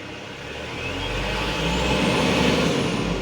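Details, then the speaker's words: Mitsubishi Canter Euro 4 diesel truck with electronic throttle pedal, throttle applied gradually: revs climb slowly and evenly with no stumble or knock, rpm stable. Engine pulling cleanly. "oke mesin sudah hidup kita coba gas secara perlahan suaranya mesin rpm nya dia pun akan lebih stabil dan tenaganya akan terasa"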